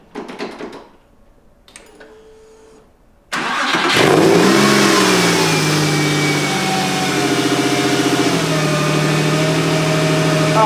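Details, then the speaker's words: Porsche 911 on its first start after the engine was removed and repaired: a short crank, it catches cleanly, revs up and settles into a smooth, steady run with no knocks or misses, a normal start and idle. "And it runs. I actually can't believe that this car is running after we've dissected and will did a ton of the labor."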